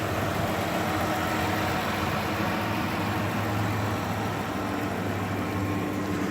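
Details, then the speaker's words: 2018 Dodge Grand Caravan SE Plus, 3.6 L V6, 36,000 miles, idling with AC running: smooth steady idle, no squeal from compressor or belt, no leaks; normal idle with AC on. "3.6 liter v6 engine sounds good no squeals I also do have the AC running squealing from the compressor everything's dry I see no leaks"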